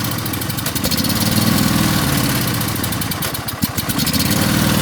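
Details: Craftsman riding mower, choke still on, carburettor suspected of leaking fuel, gives a lumpy, uneven idle with irregular chuffs and stumbles; rough running on one cylinder.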